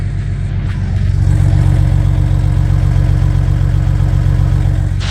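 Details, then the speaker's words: Diesel car idling with a loud, deep, even drone pulsing about four times a second. The fully rusted exhaust clamps were removed, so exhaust gas leaks out at the unclamped joints, and much turbo noise is heard. This is an exhaust leak awaiting new clamps. "And here we can also tell why my car sounded so funny. It's because I took off these clamps because they were fully rusted for me, and exhaust gas was coming out here."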